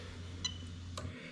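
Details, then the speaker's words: Lexus LS430 3UZ-FE VVT-i with a plug-and-play harness for an IS200, J160 6-speed manual, during a harness test: the fuel pump relay is toggled off and on, giving two crisp clicks over a low pump hum that then drops away. The relay switches normally. "there you go i'll do it again off on and you can get a pump working away there"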